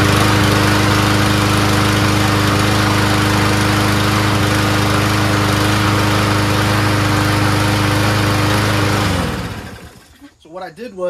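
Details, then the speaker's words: Toro Recycler 7.25 Briggs mower after spark plug replacement: steady even single-cylinder drone about nine seconds, no misses or hunting, clean shutdown; some excess oil and paint burning off. "okay Dan came by he's gonna come pick up the mower later he's very thankful that it's fixed so now it starts up runs pretty well"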